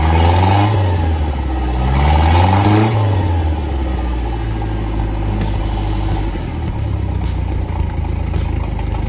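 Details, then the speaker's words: Starcraft boat outboard, first start in spring after winter storage (winterized last fall), on flushing water: catches quickly, revs up and down twice, settles into steady even idle without stumbling; normal start and idle. "we're gonna fire it up let's see how much it takes to get this thing started now hopefully I winterized it properly and it should take nothing at all for to get it going"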